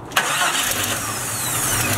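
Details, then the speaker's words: Green lifted Jeep after a no-start, with the battery replaced and the starter connected: a quick crank catches right away and settles into steady idle, no grinding or clicking; the starter works. "we connected the starter we're gonna see if it starts so we just junk it with you crank it oh my yep"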